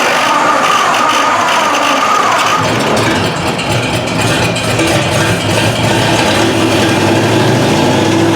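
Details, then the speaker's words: Chopped 1950 Ford Shoebox V8, first start after sitting 20+ years, gas tank removed and carburetor fed directly: loud open-exhaust V8 settling into a steady, even beat with no knocks or misses; normal running. "can you believe that well that's it for now um I don't know what to tell you it actually sounds good"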